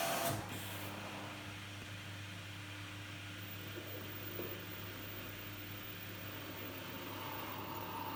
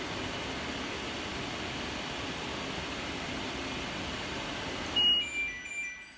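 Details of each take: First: Dryer fan motor removed from an LG F1496AD5 washer dryer and bench-run: a low steady hum with a faint thin tone, labouring instead of spinning up freely; the fan is very stiff when it should rotate freely, so its bearings are seizing and it is being replaced. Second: New replacement dryer fan for an LG F1496AD5 washer dryer, bench-tested before installation: a smooth, even airy whoosh for about five seconds, then it cuts off and spins down; it spins nice and freely, as it should.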